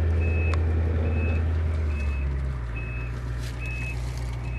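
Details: 1990 Ford E-350 Goshen bus with 7.3L diesel, reversing: crisp high beeps roughly every 0.8 seconds over low diesel rumble; backup alarm sounding properly.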